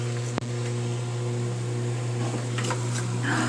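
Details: Frigidaire washing machine that would not drain, fixed without parts by disconnecting and reconnecting the drain pump's electrical connections, tested outside with about a gallon of water: steady low electric hum with water gurgling through, no rattle; pump draining normally.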